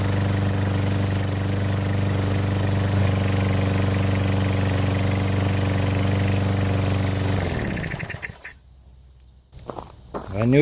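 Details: Sears Craftsman 6.75 HP mower engine just swapped onto a Lawnboy 20" self-propelled deck, fresh oil change, blade fitted, first run after sitting a year or two: runs smooth and even at steady strong speed, no misses or knocks, shuts off cleanly; healthy.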